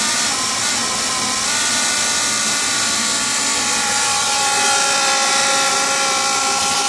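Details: Furnace in heat mode at startup, before the blower starts: steady high whirring rattle with a fast pulse of about four per second; source unknown, possibly the inducer motor.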